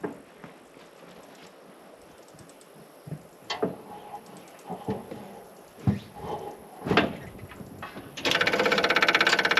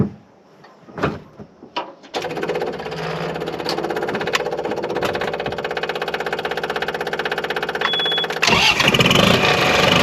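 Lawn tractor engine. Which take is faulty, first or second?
second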